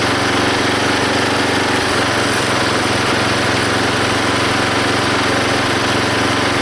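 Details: Belt-driven log splitter single-cylinder engine after fitting a homemade spring-tensioned idler arm and pulley to stop the belt flying off: steady loud drone splitting a log, no surging or squeal; hardly any belt slipping.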